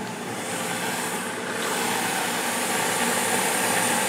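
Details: Carrier 92% efficient condensing natural gas furnace, first floor, two zones, blower moving air, humid rainy day: steady even gas flame roar with soft airy hiss, no popping, rumble or flutter; normal burner operation.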